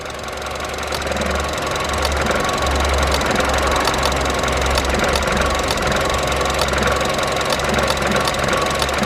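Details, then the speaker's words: Vauxhall Adam (Opel) running badly after trouble on the way to work: rough, lumpy idle with sharp irregular clicks about once a second, a misfire from a failing, sick coil pack that is to be tested and replaced. "so that sounds like it's got a bad case of i've got a sick coil back so what you're going to do is we're going to take the coil pack out and take it into the garage and see do some testing but ultimately we're going to change it oh my god it's really sick"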